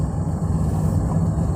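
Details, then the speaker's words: Daihatsu Hijet 1000 (Bagong), 1000 cc three-cylinder, well maintained: low, even burble at idle with steady loudness and no knocks or rattles. Engine idling smoothly. "tuh, nggak ada suara-suara kasar, anteng semua ya ini mobil ini kayaknya."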